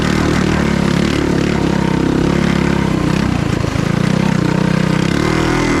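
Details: Stage 3 223cc engine on a Trail Master MB200 mini bike after swapping the rubber engine-cradle bushings for metal slug bushings: loud steady drone pulling hard, chain no longer skipping as it did when the cradle twisted under load; healthy drive.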